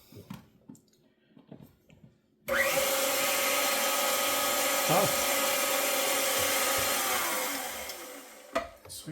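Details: KitchenAid stand mixer after its first-ever gearbox regrease with food-grade grease, previously showing light clicking: an even motor whir holds about six seconds then tapers, no grinding or knocking; sounds a little better, especially at highest speed.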